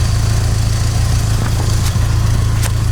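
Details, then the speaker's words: 16-valve Mk2 Golf GTI, after raising CO mixture from 0.7% toward 2% with idle around 950 rpm: low even idle hum with steady pulse, no hunting or stumbling; normal clean idle after adjustment. "so we think that sounds better so we're gonna turn it all off connect everything up and see how it is take it for a quick drive"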